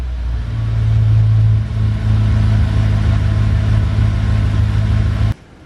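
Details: Audi B7 RS4 supercharged V8 after oil cooler leak repair, oil top-up and belt refit, leak-check run: deep strong rumble swelling with a quick blip, steady even beat, clean cut-off; no leaks found; normal engine running and revving.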